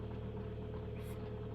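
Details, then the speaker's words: 2011 Kia Optima 2.0 G4KD with about 127,000 km, first start after a piston/ring rebuild for scuffing and knock: quiet, even idle with a soft steady hum and no tapping or knocking, before warming to 90°. "работает тихо никаких звуков лишних не издаёт"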